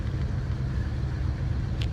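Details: 1978 GMC Diplomat Class C motorhome after repairing a shorted dual fuel tank switch, running on the right tank with the switch wiggled: low, steady, even rumble without stumbles or cutouts; engine idles normally, repair appears successful.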